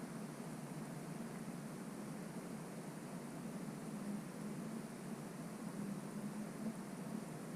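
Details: GoPro HERO5 Black (4K 30fps, wind-only audio) on a FeiyuTech G5 V2 gimbal in a quiet room, panned left-right then up-down; faint hiss, low hum and brief whirring as the head tilts, normal gimbal motor noise.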